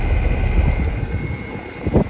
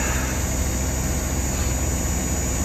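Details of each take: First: Hitachi inverter outdoor unit after an inverter (ISPM) board replacement, compressor running in test mode: the outdoor fan makes a deep, rough whooshing drone with uneven thumps instead of a smooth hum; cause not confirmed. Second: Hitachi inverter unit after ISPM inverter board replacement: steady low compressor hum with constant fan rush on top, no knocks or rattles; compressor running smoothly in heating mode, though one fan is suspected of a bearing noise.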